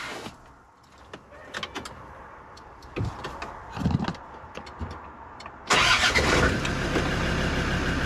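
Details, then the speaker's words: Land Rover Discovery 2 diesel after blower motor replacement: starter churns briefly, then the engine catches cleanly and settles into a steady, even idle with no knocks or misses; normal start. "or maybe maybe first we should just fire it up hey just make sure she actually starts what do you think peeps"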